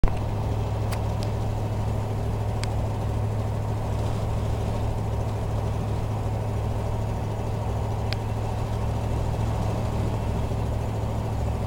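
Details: 1987 Chevy truck at idle with a raspy, puffing, lawnmower-like putter that gets louder with throttle, caused by an exhaust leak from a broken stud on the left-side exhaust manifold.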